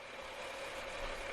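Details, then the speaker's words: 2006 Pontiac Torrent Copart rebuild, running while the cooling system is still being burped (bubbles rising): quiet, even idle with a light steady hum, no knocks or misses; normal idle. "running still got to belch the system you see the bubbles keep just keep on going he's gonna be going oh wow but she sounds good looks good"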